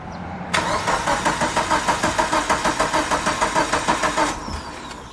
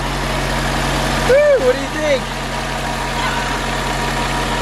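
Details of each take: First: Mitsubishi Lancer Evo 8 cranking after sitting 8 years, old starter just replaced, cam/crankshaft sensor left unplugged: about four seconds of steady starter cranking, roughly three turns a second, never firing; crank-no-start. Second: Mitsubishi Lancer Evo 8 idling just after its first start in 8 years, the fuel pump having been the issue: steady, even low hum with no misses, knocks or ticks. A little quiet but healthy.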